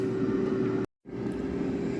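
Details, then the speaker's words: Jaipan digital air fryer set to 200 degrees, fan running continually with a constant mid-pitched hum and a short cut-out; the relay switches the heater off at 200 and back on as it cools; normal. "When the temperature reaches 200 it turns off, and when it reduces again it switches on to the heater. The fan is continually on. The sound you can hear is of fine."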